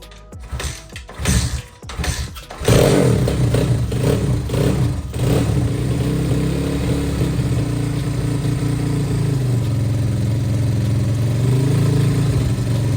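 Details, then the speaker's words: Apollo RFZ pit bike after service, carb not yet tuned: starts after a few cranks, then steady popping idle with a raspy, loud exhaust note; engine makes no odd noise, noise is the leaking silencer. "Le moteur fait aucun bruit bizarre, elle est nickel. Ce que t'entends bah, c'est la cartouche, hein. Ça fait des bruits de merde."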